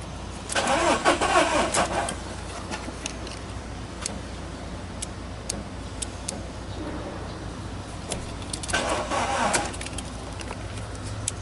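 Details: Volkswagen Polo: two short bursts of starter cranking with no firing; crank no start because ignition coils lacked 12 V feed due to an immobilizer/fuel pump lockout; restoring coil power made it start.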